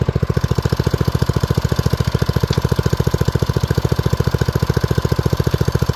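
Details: Old BRS F1 265E go-kart single-cylinder engine, run with no air filter after priming, fires right off: steady, even thump at fast idle, no misses or knocks; normal running shortly before it later went "chunk" and shut down.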